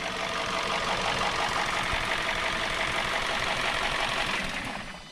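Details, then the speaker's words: 2017 Hyundai Sonata at idle with P0303 code: uneven idle with irregular stumble about three times a second; misfire moved with swapped #3 spark plug, not coil, confirming a bad #3 plug. "we figured out this a bad plug"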